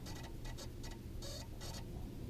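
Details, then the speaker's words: Ford Crown Victoria turn signal: faint, irregular relay clicking in uneven bursts instead of steady flashing; blinkers cut out, helped by wiggling the blinker fuse; owner suspects a short in the circuit. "hear it like you've probably hear it like bugging out you know just fill out well great you can hear it here like push it out because the blinker wants to work but there's a short in there"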